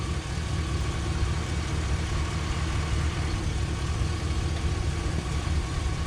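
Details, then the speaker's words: 1978 Pontiac Trans Am 400 V8 four-speed, first start in years after retarding distributor timing: smooth steady low rumble with even beat, no knocking or tapping; seems a good motor, vacuum lines unverified. "well i'd have to say that's uh that seems to be a good motor um there is nothing crazy going on"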